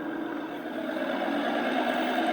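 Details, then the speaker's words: 2014 Dodge Charger Pursuit 5.7L HEMI, 5-speed automatic, about 116,000 miles, cruising: steady whine from the driveshaft tunnel heard inside the car, rising in pitch with speed; owner suspects rear axle, transmission or hanger bearing, not sure yet. "coming from the drive shaft [Music] tunnel sounds like it could be in the uh rear axle or the transmission or maybe the uh maybe the hanger bearing on the drive shaft not sure yet"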